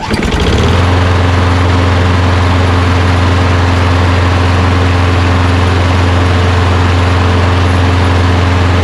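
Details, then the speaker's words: Push lawn mower running after throttle cable and air filter refitted: starts and settles into a steady, even drone with constant pitch and no stumbles; sounds really good. "sounds really good"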